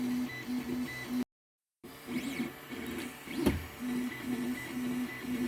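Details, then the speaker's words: 3D printer on a test print of a remixed ramp walker design: steady buzzing stepper moves with one sharp knock partway through; owner suspects a G-code or design problem from the combined STL, cause unclear. "Oh, did you hear that knock then? Doesn't sound good."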